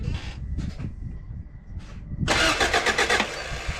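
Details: B-series swap into 88-91 Honda Civic/CRX, refreshed head, distributor disconnected to prime oil: starter churns in short bursts then a longer steady crank that never catches; oil pump confirmed good afterward.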